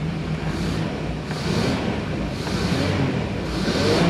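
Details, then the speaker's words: 1999 Formula 280 Sun Sport, MerCruiser 4.3L Vortec engine, refired after briefly losing spark: it climbs smoothly through throttle blips and settles back to idle without misses or knocks, sounding healthy. "Oh yeah, she sounds good there. Let's see if she comes back to idle. She's back to idle."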